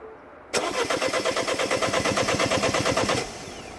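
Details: 2010 Mini Cooper S 1.6 N14, non-runner: brisk even cranking about seven beats a second for three seconds, never fires; camshaft sensor signal pin back-probed stays near zero volts, 5 V supply present.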